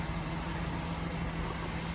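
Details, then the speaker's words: Toyota Corolla GLi after a fuel pump change and repair of a sound problem and lack of pickup: quiet, even idle with a steady low hum and no top-end ticking or tapping. Engine sounds healthy, "like zero meter", after the repair. "ये देखि start खड़ी है अभी गाड़ी माशाल्लाह बिल्कुल zero metre की तरह यह गाड़ी हो गई"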